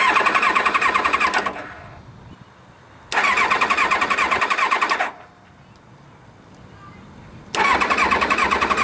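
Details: 1999 Kawasaki Ninja ZX7R 750cc, four carbs not cleaned in three years, water found in carbs, new battery, spark and fuel present; three bursts of fast even cranking, about three turns a second, never catching; two plugs oily/fouled.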